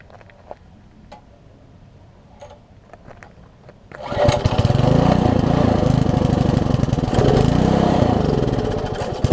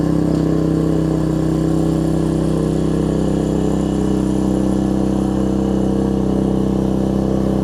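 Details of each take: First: Old (1996 or later) Troy-Bilt Tuffy tiller, 4 hp Briggs, left outside, before repair, air filter cover off: starts into uneven, surging chug; rough running, owner thinks original carburetor too far gone despite new diaphragm. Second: Troy-Bilt Tuffy rear-tine tiller, 4 hp Briggs single, after fitting replacement carburetor with linkage and spacer, quarter tank of gas: smooth, steady, even speed, no surging or misfire, carburetor now feeding properly; normal running after repair.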